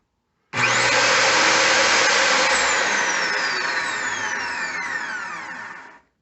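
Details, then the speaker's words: Craftsman 137.248760 table saw RM871 motor after rebuild with all bearings replaced: snaps up to speed with clean steady hum, winds down smoothly; no grind or rumble, bearings healthy. "this is what it sounds like when all the bearings have been replaced nothing on the inside and on the ends on the very ends nose out it's perfect"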